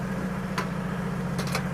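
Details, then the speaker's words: 1950 Chevy truck engine after floor and cab rust repair, choke off, oil pressure climbing to about 35 psi: a steady, even low idle hum with no knocks or misses. Healthy idle. "It's a ripper. I knew it would be. I knew it would be."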